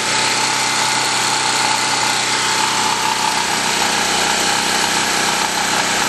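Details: 196 cc 3250-watt portable generator, hot mid-90s°F day, after two hours running, load just removed before shutdown; steady, even buzzy drone at constant speed with no surging, hunting or misfire; idling smoothly with no load.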